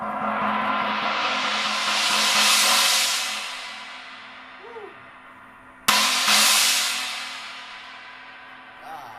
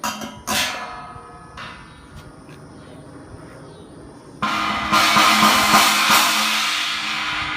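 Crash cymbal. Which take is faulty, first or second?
second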